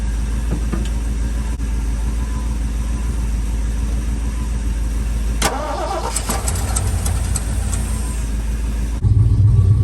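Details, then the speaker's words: Sentimental old truck with a 205 transfer case, fuel being poured in: steady starter churning at about 3.5 beats a second with no firing; cranks freely but won't start, owner suspects it may be out of gas. "that's it for fuel that's it [Music] ugh let's see yeah we'll pour all of it in there this has got to be it friends come on sweetheart could be out of gas too"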